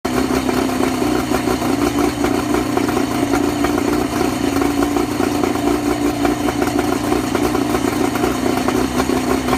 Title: Johnson 50/35 low idle misfire